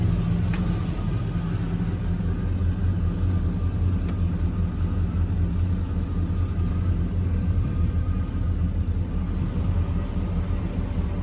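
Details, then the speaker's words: Chevy Box, started after replacing a missing 15-amp fuel pump fuse; steady even V8 rumble sits noticeably above normal idle and never settles. Owner suspects a missing part needed to idle right. High idle. "It was missing a 15-amp fuse for the fuel pump. That's what it was. I hear it's idling kind of high."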